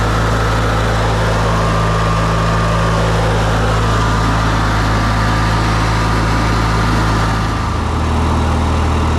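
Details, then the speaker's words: Briggs & Stratton ride-on mower idling in neutral with park brake on after a starter drive gear repair: smooth, even single-cylinder idle, steady low thrum, no knocks or grinding. Normal idle after repair. "all right so it's in neutral and the parks on so it shouldn't cut off even want to hop off sounds good idling and uh yeah I'm actually really impressed with that how it's turned out"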